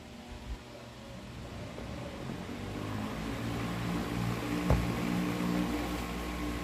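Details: Tron desk fan in for repair, test run after replacing a part: the motor hums up slowly to a steady low drone and gains some speed but sounds sluggish. A badly burnt wire suggests a short. Cause suspected, not confirmed.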